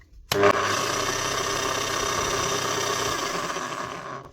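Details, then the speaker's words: 2005 Makita HM1202C demolition hammer, 20 years old, rebuilt with new grease: a steady harsh rasp and gear whine throughout. The armature and crank gears are worn; grease cannot quieten them and only replacing both would help. "Can't do anything about that. Even the grease, it's not going to quieten down worn gears. They're worn, and that's all there is to it."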